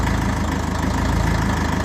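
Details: 1954 Ferguson TE20 (TEF) diesel tractor idling after a heater-plug-assisted cold start, unstarted about three weeks, heater plug rewired with heavier wire and working; deep, even diesel chug with steady firing rhythm, no misses or extra knocks: normal idle.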